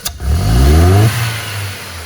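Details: Ford Fiesta Zetec Rocam with an injector fault behind its power loss and popping: quick blips rise cleanly and drop back to idle with no pops, stumbles or backfires; engine revs smoothly.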